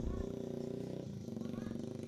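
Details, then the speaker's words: Yamaha Vixion that suddenly died and won't start by button or kick: with key on the fuel pump hums steadily with a fast flutter but no fuel flows from the line; failed fuel pump. "Nah ini nggak ngalir Kang Bro, dengung, full pump dengung, tapi di sini nggak ngalir. Oke ya, berarti ini masalah di full pump."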